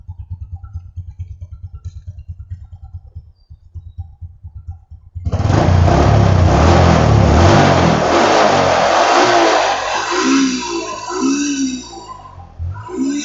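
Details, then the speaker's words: Honda Supra X125 after repair of a rough engine noise, test at high rpm: even idle pulses, then clean rising and falling revs that pull smoothly with no knock or rattle; normal revving. "hai oke selesai perbaikan wajib kita geber motornya karena nanti motor harus stabil di posisi RPM atas ya"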